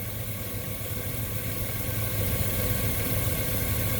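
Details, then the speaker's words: 2000 Chevy Suburban 5.3 Vortec with P0304/P0303 misfires from a leaking fuel pressure regulator; with the regulator vacuum line plugged off, the misfires clear and it idles with an even, smooth low rumble and no stumble. "we should see cylinder 4 drop to zero misfires after we cycle the rpm"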